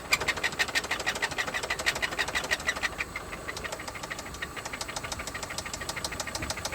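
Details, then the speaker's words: 1995 Toyota Camry LE, 5S-FE four-cylinder petrol engine with automatic transmission, idling: it sounds fine briefly, then sharp, heavy knocks about three a second set in; the engine is to be pulled and torn down to find the failure. "It's wild how it'll sound okay for a second and then it just starts knocking. My goodness, that sounds just terrible."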